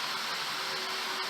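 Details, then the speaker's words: 2007 Isuzu pickup AC blower fan, power test after repairing a worn fan bushing that let the blade wobble and rub the housing. Smooth steady airy rush with a faint constant tone, no rubbing or ticking: normal after repair. "تمام شد ، اکنون سعی کنید قدرت را تأمین کنید تا ببینید آیا صدا می دهد یا نه. خوب ، به طور معمول کار می کند."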